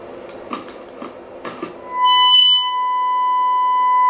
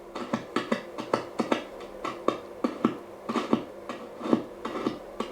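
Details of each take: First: 1937 Telefunken Torn.E.b. WW2 radio receiving a generator test tone at 749 kHz, the center of one band: after tuning clicks a clean, steady tone comes through; normal reception on this band. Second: 1937 Telefunken Torn.E.b. WW2 radio, long wave band one with 134.4 kHz test signal: no tone, only sharp irregular crackles about once a second while turning the tuning capacitor, sounding like something shorting out in the faulty long wave tuned circuit.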